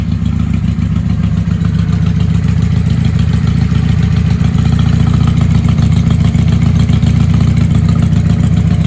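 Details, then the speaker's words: 1995 Honda Shadow VLX 600 VT600CD with a stage 3 jet kit, open exhaust and K&N filter, run on auxiliary fuel after petcock cleaning; carbs may need syncing. Loud, even V-twin beat without misses; running healthy. "She sounds healthy. There's a hole down here. Might be able to trust her. Definitely better than before."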